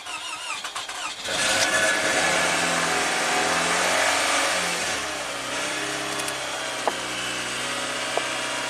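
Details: Toyota Camry from an auction lot, sat unknown time, cranked with ECM offline until a blown fuse was found, fuse temporarily bypassed with 5 A test light: cranks and catches within a second, revs under throttle, falls to steady even idle; normal start.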